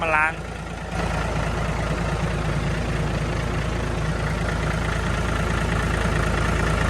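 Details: Diesel engine after fuel system cleaning and bleeding, weak power blamed on dirt in fuel; brief chirp then even steady idle with smooth low rumble, no stumbles; fuel now flows freely; normal idle.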